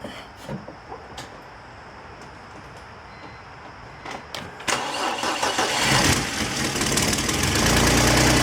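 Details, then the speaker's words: 2004 BMW 325i petrol six after CCV, coolant hoses and genuine oil filter housing gasket replaced: normal start with a few clicks, smooth even run, revs freely; exhaust gasket leak still audible, goes away once warm. "Revs freely. You can still hear that exhaust leak that goes away once it warms up a little bit."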